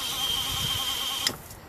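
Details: RV camper water pump after fixing a water leak: steady high hum for over a second, then cuts off with a soft click as the system reaches pressure; no leaks; normal water pump operation.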